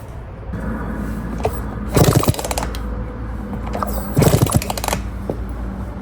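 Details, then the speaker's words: Restored 1982 Suzuki RM125 two-stroke engine first test run: crisp bark with two clean throttle blips, picking up and dropping back evenly; healthy, strong engine, though a cooling water issue remains to be dealt with. "That's bike number 1. That engine sounds really good."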